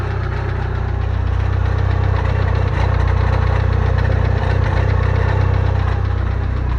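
Deep, regular knocking rattle at about four per second through the idle, heavy and low; loose starter ring on the flywheel.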